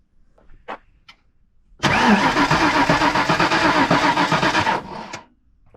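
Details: 1993 Ford Mustang 5.0 Texas DPS (SSP), sitting since 2010: about three seconds of even, fast starter churn, close to four beats a second, then it stops without firing. A bad starter solenoid was suspected earlier, and it likely has no fuel. Crank, no start.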